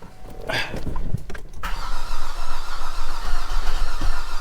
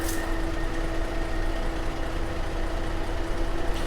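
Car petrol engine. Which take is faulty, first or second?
first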